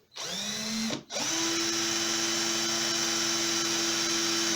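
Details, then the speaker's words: Aldi Workzone 18V cordless drill after replacing its burnt-out, smoking motor with a new RS550 12-tooth motor and reassembling. Tested in both directions and at different speeds: clean, steady whine with no grinding or stutter, feels powerful. Normal motor. "just check the different uh different directions yeah it feels very powerful actually um and then the different speeds as well"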